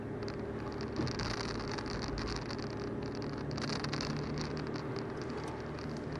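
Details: VW Golf 4 at idle with a broken exhaust, before repair (bought coupler was the wrong size): steady hum with a light, uneven metallic rattle from the loose exhaust pipe joint.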